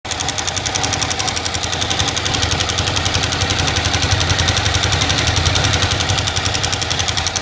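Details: Suzuki TL1000R V-twin motorcycle idling with a steady, rapid metallic ticking riding over the engine note.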